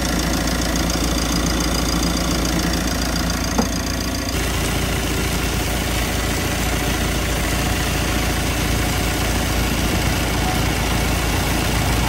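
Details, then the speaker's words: Mitsubishi L300 FB van at idle, AC compressor recently replaced and leaking oil, AC tripping: a rough, uneven knocking rattle that thickens when the compressor cuts in; the condenser is too small for the compressor. "So ayan. Ito nga po yung condenser niya. Yan talaga pong maliit' pag nagpalit tayo ng compressor either magpalit tayo nito o magdagdag yan. Kasi pag hindi tayo magpalit o magdagdag, hindi po titino ang aircon nati"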